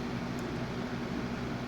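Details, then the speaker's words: Lasko WeatherShield box fan bought 2017, still working, on medium speed: steady even whoosh with low constant hum, no rattle or ticking; sounds like a Lasko 3733 on low, running smoothly. "All right, let's go to medium. Now, medium sounds like Alasco 3733 on low. Not going to lie."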